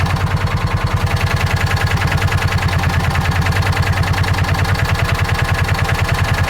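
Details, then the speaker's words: John Deere Gator 4x2, after adjusting carburetor idle and jet mixture: even, steady low putter at about 1140–1150 rpm, no hunting or stumbles; normal idle. "I think I might be pretty happy with that right there for now. How's our idle looking?"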